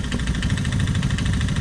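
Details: Honda ATC185 three-wheeler with a cheap Chinese carburetor, idle screw just under 2½ turns: a single-cylinder putt about eight beats a second, slightly uneven, idle still a touch rough. A tiny fuel leak is present; carburetion suspected.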